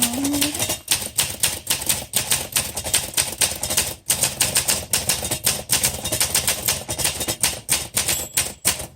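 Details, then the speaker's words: 1963 Olympia SM5 typewriter (cursive font) typing the quick brown fox line: brisk, irregular key clacks, several per second, with a short margin bell near the line end signalling a carriage return. Normal typing. "There's the bell. So when you hear the bell, that tells you to hit the return handle through the house."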